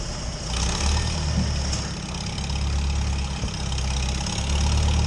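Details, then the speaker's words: Farmall H tractor that sat for years, engine revived and running: a steady, even low rumble with no knocks, misses or rattles. It sounds healthy. "inside boy listen to this thing H now that that sounds pretty good"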